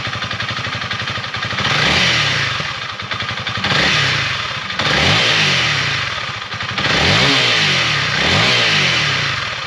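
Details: Honda CRF300L single-cylinder, warmed up, back from dealer, after fix of weird sounds at 7,500–8,000 rpm: revs blipped up and down several times, rising cleanly and dropping back, no odd rattles at the top; weird sound gone.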